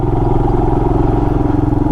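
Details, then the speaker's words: 2020 Royal Enfield Himalayan single-cylinder, light off-road throttle, mic inside the helmet, no earplugs; steady thump with a faint, even tick of unclear source; owner unsure if normal; ticking noise. "I'm trying to listen to that ticking sound."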